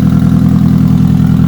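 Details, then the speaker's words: Rare ABT Audi TT, first run in many years after new cambelt, on old fuel, in neutral: steady idle with low, even chuff from the front where the downpipe flexi pipe is broken; exhaust leak, engine otherwise sounds good. "well very very slightly but mostly it's coming out the front where that where that down pipe that flexi pipe's got to break it it's just all coming out the front"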